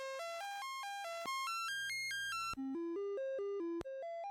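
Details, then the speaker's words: Commodore 64 SID sound chip on diagnostic sound test: buzzy square-wave test notes step up and down, somewhat noisy, but the noise channel is missing. "bit noisy, but this sounds normal other than the noise. Oh, the sound channel. The the noise channel is missing."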